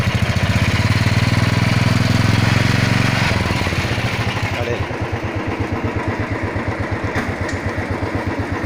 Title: Royal Enfield chain and engine noise